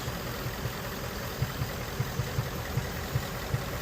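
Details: 2017 Ford Mustang GT 5.0 Coyote V8 idling, codes P0302/P0316, cylinder 2 misfire; cause unfound; quiet idle broken by soft uneven thumps a little over once a second.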